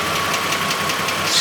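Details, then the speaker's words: Truck engine pulled out and run on a test stand, cold, idle jumping up then settling, no black smoke: a quick light tick of about five per second over a slightly heavy, rough idle; a lifter tick with a slight miss persists, cause unresolved. "it's so crazy it's got the tick and like I said"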